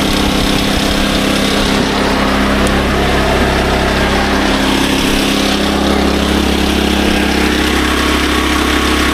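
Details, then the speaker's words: SDMO 5000W generator with Briggs & Stratton 296 cc engine (about 18 hp), before repair: starts great but outputs only about 4 volts on 120 and 240. Steady, even drone at constant speed, no misses, knocks or hunting; engine itself running normally. "So, as you can see in here, the generator starts up >> great, but we're not getting much voltage at all."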